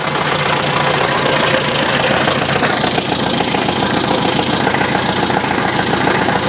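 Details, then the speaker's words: 1966 Datsun 520 farm truck, abandoned 40 years, first start with carburettor float bowl full and cold weather: the old four-cylinder settles into a steady, even idle with busy valvetrain patter; the initial clunk is thought to be the clutch/flywheel settling, not a main rod. Normal idle. "I think that's the clutch and flywheel just self-leveling there. And not a main rod. It's perfect."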